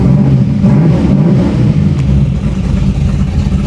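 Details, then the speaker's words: 500 hp 1987 Chevy Monte Carlo SS V8 idling, heard from inside the car with the window rolled down; deep, choppy, loping big-cam idle with a steady low rumble, no knocks or misses, healthy. "Oh, it sounds so good. And I can still hear myself in the car, which is really nice. All right, let's roll this window down. Boy, she's got a nice chop to her."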